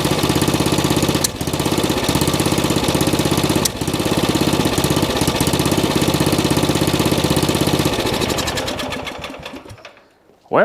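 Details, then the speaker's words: Old riding mower single-cylinder engine after fitting a cheap Chinese knockoff carburetor, firing steadily and evenly at a fast beat with no misses, then winding down cleanly; better than before; normal running. "better than it was"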